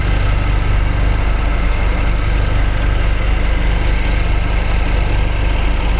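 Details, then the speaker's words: 2015 Jaguar XF 2.0 L four-cylinder with flashing check engine light, idling, coil disconnect test: lumpy, shaking idle; cylinder 1 is dead, since disconnecting it changes nothing. "hopefully you can see the shaking and disconnecting number one does nothing disconnecting number two does have"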